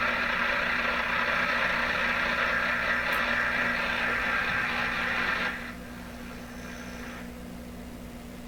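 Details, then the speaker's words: Atwater Kent Model 36 radio on outdoor wire antenna (no loop, no directionality), suspected bad output tube, tuned near 680; steady hiss and crackle with faint buzz, no station. Radio interference noise. "we're just battling so much interference. This doesn't have a loop antenna, there's no directionality, it's just a wire antenna."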